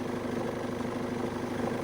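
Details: BMW E46 idling after starter motor replacement and a jump start for a flat battery: quiet, steady idle with an even low pulse, no ticking, knocking or misfire; engine idles smoothly.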